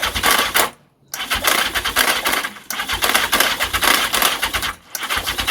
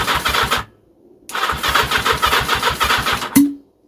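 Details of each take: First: The 750 "Mac" cranks in four long, fast, rattly bursts but never runs; only periodic weak pull through the manifolds, and even accelerant down the intake won't catch. Owner suspects the starter clutch, as before, not confirmed. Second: Engine turned over with its carburettors removed and everything else fitted, starter clutch previously suspected: two bursts of even, steady cranking at about 3.5 turns per second with no drag, showing normal cranking.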